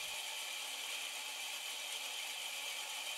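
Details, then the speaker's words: Homemade ball bearing (Marinov) motor with degreased roller bearings and wooden flywheel, fed high current from a microwave oven transformer, flywheel hand-spun first: steady even hiss and fine bearing rattle with no knocks or slowing; runs smoothly. "my wires are also a little small for the current but it runs fairly well"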